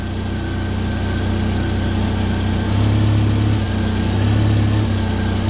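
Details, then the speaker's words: Jeep Wrangler TJ with a high idle and lean code, TPS unplugged: steady, even low rumble at the correct idle speed with no hunting or surging. Reconnecting the TPS gives 1700 rpm, so the TPS is bad. Normal idle. "okay I actually unhooked the TPS and now the engine's running at 941 like it's supposed to"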